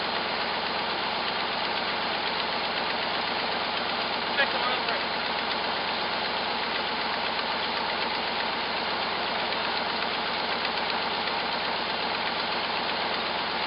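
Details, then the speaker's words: Cold first start, the first run over five seconds, of a hot-rodded V8 Jeep J7 rock crawler: rapid puffing tick about four per second over a smooth idle, from a terrible exhaust leak; idle good, 55 psi oil pressure. "uh exactly got a terrible exhaust leak let it warm up i guess i should have checked the oil huh i didn't even do that idle's good boy that exhaust leak is terrific good oil we'll get to this"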